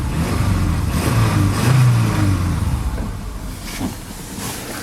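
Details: 2000 Subaru Outback Limited: deep regular knock about four per second at idle and revving, began cold-only ~12,000 km ago, now constant; owner suspects rod knock or piston slap.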